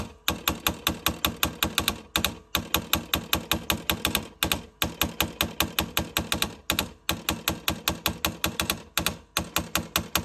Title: LG Refrigerator makes loud clicking sound